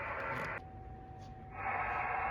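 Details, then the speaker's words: Heathkit HW-101 donor transceiver being restored, receiver band noise after a dead band was traced to a dirty wafer band switch contact, not the crystal. A steady hiss comes with a clean tone breaking through. All bands now work, ready for alignment. "It wasn't the crystal after all, it was just a dirty band switch connection. All bands are now operational"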